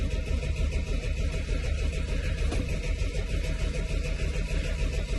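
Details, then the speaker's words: Car not started for a while, with ignition lights on and the fuel pump heard priming: a long crank on the starter with an even, rhythmic low churn and no catch yet. This is normal after sitting unused, and it then nearly catches. "If it's not been started for a while, this is quite normal."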